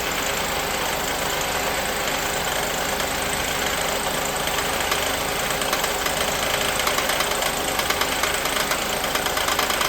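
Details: 1988 Mercedes 560 SEC (W126) V8 at idle with a hard internal knock about three times a second that grows louder toward the end, so the engine was shut off; the cause was not stated here and was fixed later.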